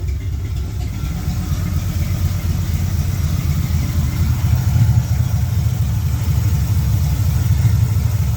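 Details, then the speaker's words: 1972 Pontiac LeMans with a carburetor and electronic choke on a cold day, after turning up the idle screw and timing suspected too advanced: steady even low rumble with a smooth idle and no stumble; normal idle. "so I'm adjusting the idle screw right [Music] here that sounds a lot better"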